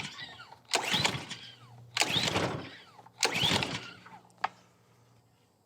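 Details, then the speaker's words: Ryobi 3000 PSI gas pressure washer, sat without maintenance, fuel on and choked: three slow rasping recoil pulls with no pop or catch; cranks but won't start, suspected lack of fuel or spark. "Unfortunately, we're not getting a burp out of it. So one, it's either not getting fuel, or two, it's not getting spark."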